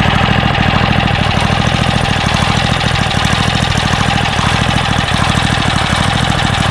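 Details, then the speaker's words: Craftsman 3HP Tecumseh lawn edger after water-contaminated oil was replaced and a new carburetor and new air filter were fitted, primed and started: single cylinder runs at a steady fast pace with even firing and no stumbles or knocks; runs well. "prime's great got a new air filter on here and this thing runs like a champ now you know pretty cool"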